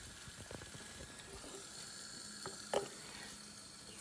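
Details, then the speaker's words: 2008 Triumph Tiger 1050 leakdown test at 25 psi regulator input: faint steady frying-pan sizzle with handling clicks as air leaks past the cylinder, quieter than the other cylinder; bubbles show leakage at the inlet ports. "so 25 psi okay it's not making as much noise as the other one but you can hear it uh hear it leaking"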